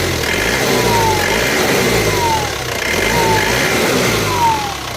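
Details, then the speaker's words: Isuzu Panther diesel after engine block repair at machine shop for loose cylinder liners, valve clearance not yet reset: smooth idle with clean even throttle blips; sounds smooth and normal as expected. "ternyata suaranya sudah Sesuai yang diharapkan halus khas mobil diesel Panter"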